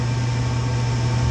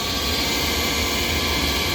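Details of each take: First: Rheem furnace after the noisy inducer motor was replaced with a new motor and gasket; the manometer reads -1.0 inch water column. Steady low hum with an even tone and no rattle or scrape; the inducer runs normally. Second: Rheem furnace's old inducer motor, extremely noisy while the unit still works and replacement recommended: a loud, harsh hissing roar with a high whine over a low hum. The noisy inducer motor is the finding.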